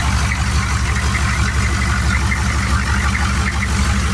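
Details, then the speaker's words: Turbo 6.2 diesel at idle after inlet housing pressure adjustment, 195° thermostat, injection pump turned up about a quarter turn and timing corrected: even, steady clatter over a firm low rumble, quieter and cleaner, no popping; normal idle. "She sounds a lot quieter, a lot cleaner. Idle's not as poppy because the timing's more right."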